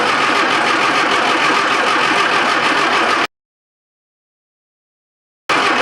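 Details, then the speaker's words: Classic Mini Clubman Estate with carburettor. The fuel pump runs and fuel reaches the carb, yet the starter churns steadily, pauses a couple of seconds, churns again, and the engine never catches; spark plugs to be checked next. "so fuel's getting to the carburetor why is it not starting"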